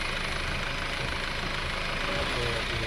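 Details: 2008 Honda Civic EX running with a steady, low-level, not loud buzz from the right side of the engine bay; not the timing belt, and it persists with a switch removed; source unknown.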